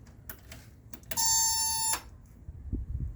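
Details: 1970 Datsun Roadster SPL311, recently revived after sitting 30 years: one sharp, steady high-pitched beep under a second over a quiet cabin; warning buzzer beeping, cause unknown, possibly the key buzzer, wiring suspected.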